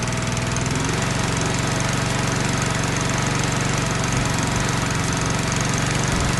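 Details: Lawn mower with no primer bulb, started on choke after an oil-level check: steady, even putter at constant speed with no misses or knocks. Running healthy.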